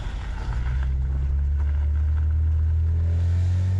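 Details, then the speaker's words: BMW 335 driven in Drive under load: a deep droning metal-on-metal buzz from the exhaust that grows as it pulls. Bending the metal did not help; owner suspects the X-pipe, not confirmed. Exhaust rattle under load. "Still just as fucking loud. God, that's so annoying. I'm done trying to figure it out, I think. I mean, it's not going anywhere. It's just as loud. It's got to be in the exhaust itself. It's got to be the X pipe."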